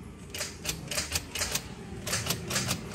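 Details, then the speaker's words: Honda CR-V on ignition: only sharp uneven clicks, about two a second, no cranking; starter motor fault, starter sits under the intake manifold which must be removed to reach it; faulty starter solenoid, click no crank. "Hai kontak Tatar coba nah cuma bunyi cetak cetek denger nggak"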